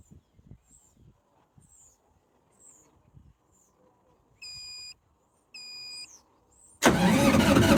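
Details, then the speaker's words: GreenMech Quad Chip wood chipper diesel, yearly service: quiet yard with birdsong, two beeps, then starter spins hard but never fires; fuel system empty of diesel, air-locked, bled later by cracking injectors. "Hopefully she'll fire up. No fuel in the fuel system at the moment, I bet. I've got to crank it over a few times."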